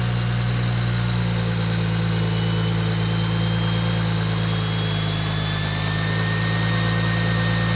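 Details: BMW 135i N54 just after first start on a newly fitted Doc Race single turbo kit (6266 turbo): deep, steady idle with an even low rumble and a faint high whistle on top, no knocks or misses; running healthy.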